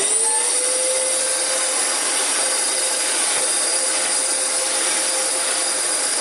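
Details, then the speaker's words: Discontinued Dyson DC14 with brush clutch, dirty and before service with old filters back in: strained high-pitched motor whine with a hissy, airless rush. Judged to have a blockage or clog restricting airflow. "here two things by listening to this one one there's a blockage or clog"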